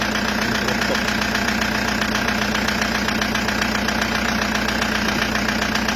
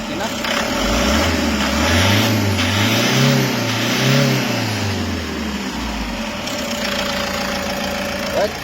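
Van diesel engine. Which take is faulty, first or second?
first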